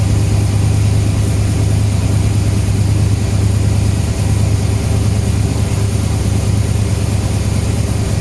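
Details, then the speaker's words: Freshly built 6.0L V8 (Canyon build) on first start, MAF-side tune with table being created as it warms: deep lumpy even idle, steady and clean, air-fuel good, oil pressure present. "Actually it's idling really nice for air fuel wise, but basically this is the table being created."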